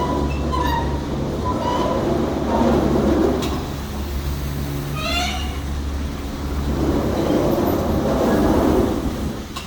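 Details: Return terminal of the Needle's Eye Express chairlift, a 1996 Poma Challenger short terminal (900 fpm design, usually run about 750 fpm): awful high wavering screeches every few seconds over the steady low running hum.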